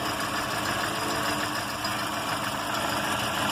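Steady idle with a busy, buzzing mechanical rattle riding on top; something's off at idle, but the source isn't clear yet.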